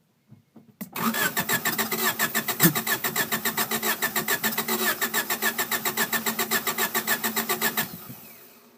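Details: 1993 Honda Accord LX crank no start with the main relay plugged in and tested OK; starter cranks about seven seconds at roughly three and a half turns a second with an uneven rhythm and never fires. Cause unconfirmed.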